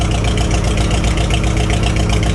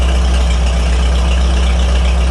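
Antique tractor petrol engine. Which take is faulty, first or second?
first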